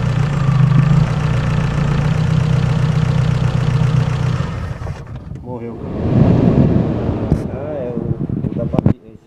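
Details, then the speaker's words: Peugeot 206 that starts only intermittently, idling with air box removed while the crankshaft position sensor wiring on top of the gearbox is wiggled: steady idle cuts out abruptly and dies; sensor itself fine, fault in the harness; stalling from faulty sensor wiring. "Então, já mexi no sensor e não desligou o carro. Quando mexe no chicote, aí ele vai e desliga."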